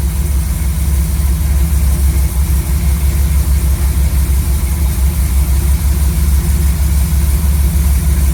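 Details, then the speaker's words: Chevy C10 V8 truck freshly fitted with a Maxpeedingrods Quadrajet carburetor: deep, even burble at a raised idle, steady pulse with no misses, knocks or ticks. Idle was turned up quite a bit and mixture set to about 15 in of vacuum. Normal idle. "um and it it seems to be idling pretty good I had to turn the idle up quite a bit"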